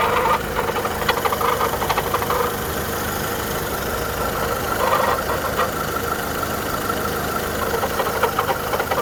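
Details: 2010 VW Polo 1.4 petrol idling: irregular light clatter and ticks over a steady hum, strange noise suspected from the timing belt area, source unconfirmed.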